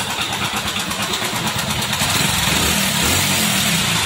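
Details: Hero Splendor Plus engine starting and running: busy, clattery mechanical rattle over the exhaust; camshaft damage suspected, not confirmed.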